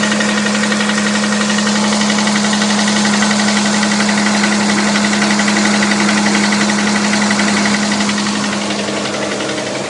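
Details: Engine labelled 6GEA at idle: sharp, regular knock about four per second over a constant hum; knock inside the engine, cause unknown.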